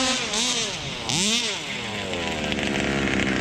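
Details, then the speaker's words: Rovan Baja 5b 1/5-scale RC two-stroke, single speed, needles left unadjusted, owner had reported problems: sharp buzz climbs and falls cleanly with each throttle blip, no bogging; normal revving under load. "Sounds perfect. Perfect, dude. Sounds perfect."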